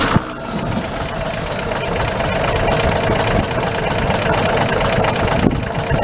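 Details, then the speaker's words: Truck engine idling about 30 seconds after start, following refitted intake and exhaust manifolds to cure leaks, new exhaust pipe and muffler; quiet even idle with light valve-gear tick, no exhaust leak chuff, healthy. "you guys can watch the cooling fan spin this engine's quiet now you can't hear it"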